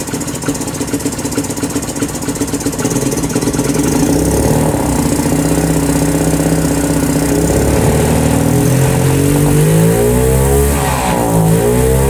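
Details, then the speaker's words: 2018 Lance Cali Classic 125cc scooter held on throttle; pitch climbs and dips unevenly and won't settle to idle, and it smells rich. The owner suspects a faulty carburetor with plugged jets and wants a new one. Poor idle; cause suspected. "I think got a winner except for the fact that not doing that not on idle I need a new carburetor"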